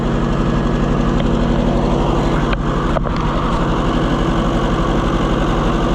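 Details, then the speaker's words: Oliver 550 tractor after a borrowed coil was fitted: a lumpy, uneven idle of about three pulses a second with one cylinder not firing; the pulled plug suggests that cylinder is dead, possibly from a push rod off. "That one ain't doing nothing. Okay. Let's pull it back out. Wishful thinking that it runs better."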